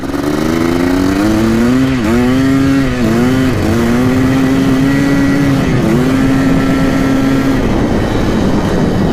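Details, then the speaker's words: 1987 Yamaha YZ490 two-stroke after new fuel, riding: clean crisp revving rising and falling smoothly through throttle blips, no bogging or stumble, much less boggy than before; normal running. "definitely not as boggy now looks pretty good burning a lot better now that we've got the new fuel"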